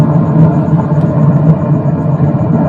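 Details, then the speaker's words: Konzert 6-channel mixer, nothing plugged in, after replacing faulty parts: a constant low rumbling noise fills the output, blamed on a leaky 458 op-amp IC that may normalise once warm. "Ang ingay. Pagkaann talaga yan. Kung tutuusin bagong hinang natin sa may sabi mainit pa yung IC. Dapat mawawala yung ano na yan kasi ano yun eh may le yan eh. May leck yung IC."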